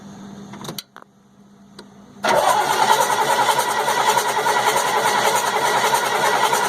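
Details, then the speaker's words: 1998 GMC C8500, 3116E diesel: steady starter cranking, about three and a half turns a second, with no firing; no fueling, the injector isn't firing. Owner suspects a bad ECM. "Okay, so what we have is we have no fueling. The injector is not firing."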